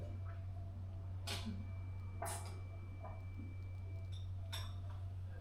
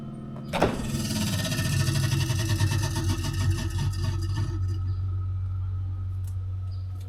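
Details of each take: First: Samsung refrigerator prone to freezing, after the ice was melted off the evaporator fan area and the fridge reassembled: low steady hum with a faint even tone and no fan noise; runs normally, no more weird noises. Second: Samsung refrigerator evaporator fan, recurring freeze-up: fast uneven clatter of blade strikes as the fan starts, then dies to a hum; ice buildup hitting the fan.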